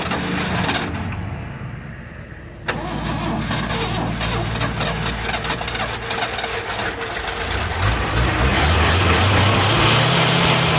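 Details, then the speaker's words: 1979 Ford High Boy truck, first start after rebuilding a bad carburetor, priming with gas and new fuel pump: catches after a few cranks, settles into uneven hunting run with wavering beat; rough running, carburetor mixture needs adjusting. "I so we're running but we got to definitely do some adjustment on that carburetor"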